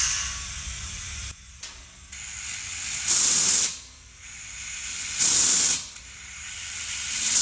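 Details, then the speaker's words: Nitrogen-pressurised 55-gallon steel drum with the regulator maxed out: 10 PSI safety relief valve releases sharp gas hiss bursts about every two seconds and reseats itself, preventing overpressure as designed. "I'm going to turn this on, and you'll hear the safety relief valve popping off and resetting itself."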